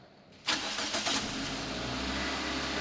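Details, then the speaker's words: Daihatsu at normal operating temperature, check engine light on with key on and a complaint of the light staying on while running: quick crank catches within a second, settles into smooth steady idle; normal start. "Pada saat kunci kontak on, cek engine tetap menyala, mesin kita hidupkan."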